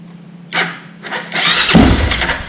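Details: Honda 400EX ATV after a top-end rebuild; the earlier no-crank was a blown 15 A fuse, and the starter solenoid was fine. A few short starter whirs, then steady cranking as the engine turns over and tries to catch; starter working properly.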